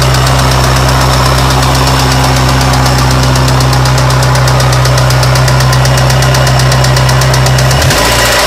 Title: 1993 Miata HLA failure or Rod Knock